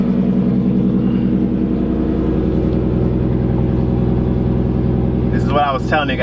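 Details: Nissan S13 engine at start-up, intake air temp reading 20°C: steady, even idle with a regular low pulse, no hiss or stumble. Vacuum seems good, it is warm enough, and it is running smoothly.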